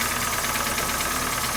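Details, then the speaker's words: 2012 Hyundai ix35, G4NA petrol engine, 127,000 km, check light on and burning oil, idling with a hard, rapid, steady diesel-like knock; engine removed for overhaul and teardown. "Ну и пойдем послушаем стук. Ну, думаю, прекрасно слышно, что стучит сильно."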